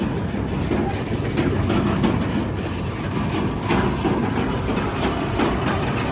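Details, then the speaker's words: Gleaner combine at auction preview, separator engaged: heavy steady mechanical rumble with faint rhythmic clatter; a little noisy and wobbly but all turning as it should, motor pretty quiet; normal separator running. "Little weeble wobbly there on that boy. But, it's all turning like it's supposed to. Motor's pretty quiet."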